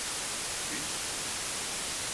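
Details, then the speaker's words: Phone plugged in with 9er Systems USB interface and AC-2EX intercom setup: constant loud hiss with nothing on it, high noise floor; cause unknown. "And now as soon as I plug in, the phone, crazy noise floor. Not really sure why. And you can just hear it, right?"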